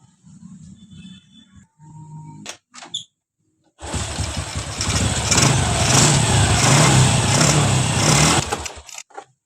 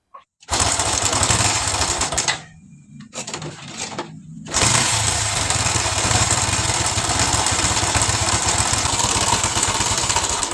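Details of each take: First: Honda Revo Absolute motorcycle after engine rebuild for left-side cam chain noise caused by broken oil pump gear; oil pump now working, good oil pressure: quiet start, smooth even note, no ticking or knocking; noise gone, running healthy. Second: Honda Revo Absolute engine, noisy from the left side around the cam chain, with a failed oil pump gear causing oil starvation: dry, fast ticking clatter at idle; camshaft found badly loose and worn, running dry from lack of lubrication.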